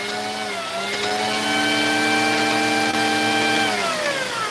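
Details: Vacuum with no-power complaint: motor whine sags in pitch, holds, then drops again as the wand is pushed forward and pulled back; power cutting in and out at the wand connection.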